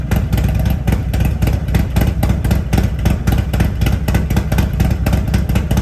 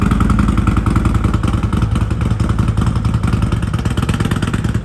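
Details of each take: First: Harley-Davidson Road Glide at Stage 2 with an S&S 475C cam chest, professionally tuned to 114 hp, with TAB Performance exhaust: a choppy, regular loping exhaust thump with a crisp bark; a healthy cam lope. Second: Harley-Davidson Road Glide 114 just after an S&S 475C cam install, still on the untuned stock base map: a loping, uneven idle with irregular thumps at about three to four a second; it runs rough until tuned.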